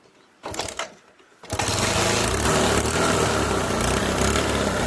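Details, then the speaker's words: 125cc Bajaj Discover motorcycle after a failed CDI coil was replaced with a new one: a couple of quiet clicks, then it catches at once and runs smoothly; the bike would not start with the bad CDI coil. "చూడండి, బండి start అయిపోయింది. అది CD coil complaint."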